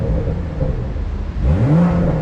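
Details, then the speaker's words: 2023 Toyota GR Supra 3.0 Premium, B58 3.0L turbo inline-six (382 hp), revved in sport mode before a drive: deep even idle, then a quick clean climb in pitch held high; strong, healthy engine. "it yeah that sounds absolutely insane"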